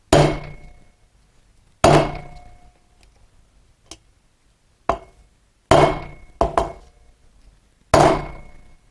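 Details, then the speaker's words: Motorcycle front wheel bearing replacement, new bearing tapped into the hub with the old bearing on top: separate hammer taps, dull thuds turning to a sharper ring, showing the bearing has bottomed out and is fully seated. "you'll know when it's reached the bottom because the tone will change from the hammer it gives more of a ring instead of a thud"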